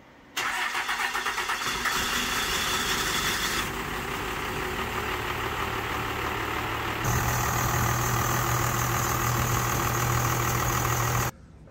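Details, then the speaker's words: Mike Finnegan's Roadkill ramp truck Cummins 12-valve diesel, just upgraded with ported head, new injectors and HX35 turbo, cold first start: cranks briefly, catches and settles to a steady even clatter; previously needed throttle and smoked black, now normal. "oh it's already better so before when I would fire it up you'd have to crack the throttle a little bit and it would black smoke everywhere"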